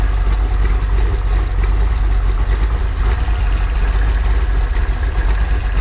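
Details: Freshly built 408 stroker small-block Ford Windsor on break-in oil, warm: deep, even, steady idle with no knocks, misses or ticks; idling healthy and settled.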